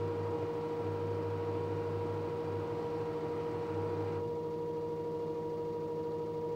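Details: LG direct drive 6 kg F1058ND5 washing machine with a steady mid-pitched hum and a throbbing low drone that drops out now and then. Unusual noise, owner suspects the pump.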